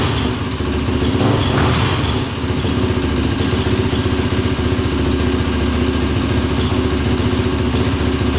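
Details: 2003 YZ450F engine in an off-road Simplicity lawn tractor, after carb rejetting: single-cylinder thump at a steady, fairly quick idle, no stumbling or surging, running without choke; much better.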